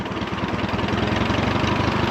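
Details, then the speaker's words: 1953 Allis-Chalmers WD tractor, engine idling high, running with a slight miss, tested in gear: hard metallic clatter riding each beat, first suspected in left final drive but actually loose top link bracket rattling. "Oh, it's just that top link bracket. Yeah, that's all it is. Okay, that's good. Oh, we had some kind of clanking bearing noise. It's just piece of steel rattling around."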